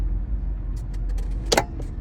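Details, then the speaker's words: 48-volt EZGO golf cart that runs slow: the switch is flipped from tow to run and, after light ticks, the solenoid clacks with no pedal pressed, meaning it gets power immediately. A stuck or shorted solenoid can cause half-speed running. "the solenoid clicking, which means the solenoid is getting power as soon as you put it in tow."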